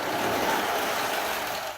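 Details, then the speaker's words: Model railway Spirit of Progress carriage derailed over the points; steady, harsh scraping hiss with no wheel rhythm for two seconds, fading at the end, as the carriage drags off the rails; derailed carriage grinding. "See that grinding sound? That's the sound of derailed carriage."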